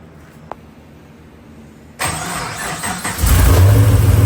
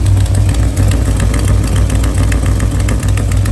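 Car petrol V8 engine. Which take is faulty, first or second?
second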